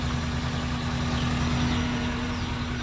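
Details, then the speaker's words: Daihatsu engine (Gran Max/Xenia/Avanza/Terios type) after valve clearance adjustment, mic under engine: even steady idle with no valve ticking, previously noisy, loud and knocking before adjustment. "Murni suara putaran mesin saja kalau sekarang. Jadi nyaris tidak terdengar suara ee ketukan klepnya ya."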